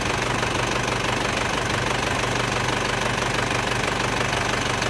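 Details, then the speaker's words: Isuzu Panther diesel (S plate) after repair of a light compression leak: smooth, even idle clatter, no misses or knock. Normal diesel idle; a fan belt noise was noted separately. "Halus dan rata mesin ini suaranya lur. Mantap."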